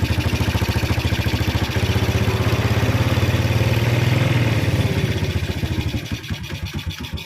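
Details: Yamaha Vega R New motorcycle: cranks very lightly (compression leak), then thumps unevenly, won't hold idle and dies. Cause: inlet valve clearance closed up from carbon buildup from smoking and from overheating due to low oil.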